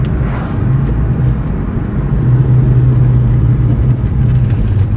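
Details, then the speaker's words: 2003 Mustang Cobra with brand new brakes, squeak started after switching wheels, owner suspects a pebble stuck in the brake: over road rumble a thin high squeal rises under a second while braking; light brake squeak, source not found. "So what would cause a brake to start squeaking? It seems like ever since I switched the wheels it started happening."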